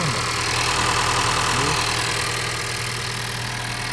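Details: 2014 Honda Vezel after release bearing service and robot gearbox and throttle calibration: a smooth idle with a light, even ticking about three times a second, with the valves seemingly slightly noisy. The release bearing is now quiet.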